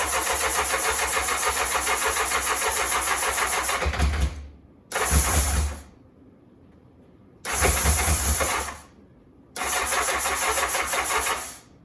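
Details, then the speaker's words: 1984 Honda CBX750 after engine repair and refit, hot start on booster pack: catches and runs with a crisp even beat through several throttle bursts, no knocking or misfire; healthy. "this is a hot start very happy she's running quite [Music] nicely not too bad not too bad"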